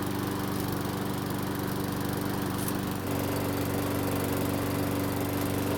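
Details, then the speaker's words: Mower that wouldn't start, after repair, about 5 minutes in and near normal operating temperature; steady, even buzz without surging, sputtering or misses; normal running. "now it's been running for about 5 minutes so it should be close to normal operating temperature"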